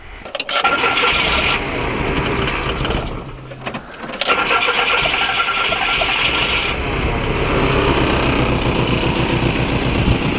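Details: VW Rabbit pickup after no-start repair: exposed blue damaged wire found, HT leads worn, cap and rotor due; starter cranks briefly, catches, stumbles once, settles into steady even idle; normal start and idle.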